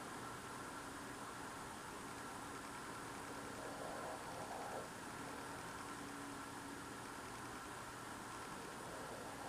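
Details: Loud, strange idling noise heard outdoors at night on a freezing night through a frozen-shut window, not a generator: a faint steady engine-like drone with a low hum and hiss, source unidentified.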